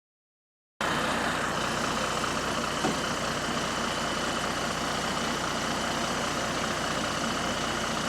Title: Exhaust Leak | GAL WVN49 On Bus Route 89 (Spot + 13)